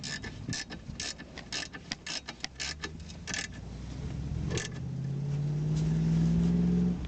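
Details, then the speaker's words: Toyota Probox/Succeed parking brake pulled after repair: ratchet clicks in quick bursts with no squeak; squeak had been caused by a worn cable bushing rubbing metal on metal, replaced with a homemade bushing. "все никакого скрипа нет вся причина была в изношенной втулки металл по металлу терся"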